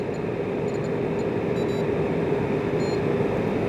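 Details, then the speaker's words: Instant Vortex Plus air fryer with OdorErase after the cook time ends and the display reads End: steady airy whoosh with a faint constant hum as the fan keeps running briefly to cool down, then stops; normal fan operation. "Okay, so you see the cook time has ended and it reads end, but you can hear the fan is still going. It takes a little minute for the fan to cool down, and so the fan will continue until, there we go."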